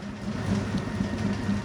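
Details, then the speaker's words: Circa 1932 Bennett Model 450 twin gas pump, barn find idle over 40 years, running: steady low motor hum with faint belt flutter, even and unbroken; runs normally, belts shredding. "1930s Bennett twin 450 gas pump comes to life."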